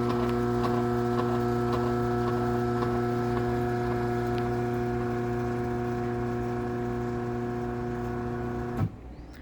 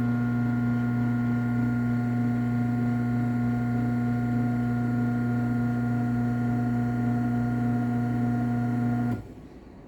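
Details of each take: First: LiftMaster 8587WL garage door opener, a dumpster find with travel module issues, drones loudly and vibrates with steady ticking about four times a second from worn motor bearings, then clunks to a stop. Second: LiftMaster 8365W garage door opener, a dumpster find with a wiring issue: runs with a steady, even motor hum and stops cleanly, not too loud.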